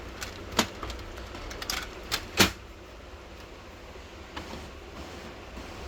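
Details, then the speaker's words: Canon imageCLASS LBP122dw printer after greasing the dry fuser part and refitting the sleeve: quiet running with a few light paper-handling clicks, no grinding; normal operation, noise gone. "इसकी आवाज देखिए बिल्कुल बंद हो चुकी है। यह देखिए बिल्कुल आवाज बंद हो चुकी है।"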